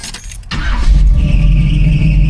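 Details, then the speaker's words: 1973 Chevrolet Camaro 454 big-block V8, automatic, showing 56,000 miles, at cold start: deep V8 idle with steady high accessory belt squeal that goes away. "Belt is squealing on this. It goes away, but it definitely squeals when you first start it up."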